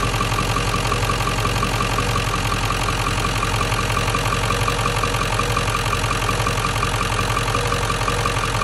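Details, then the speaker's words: 1997 Ford F-350 7.3L Powerstroke diesel, 164,000 miles, idling with the accessory belt removed after the alternator bearing was found fried; steady, even diesel clatter with no added knock; normal idle. "yeah i'm good i'm gonna go get a new alternator and uh have a nice smooth running truck again"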